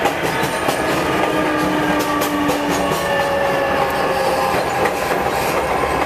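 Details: MTA R142A car 7686 on a Manhattan-bound 4 train, 183rd Street next: faint tonal howl over steady wheel clatter, rising in pitch as the car picks up speed; howling traction motor, later fixed.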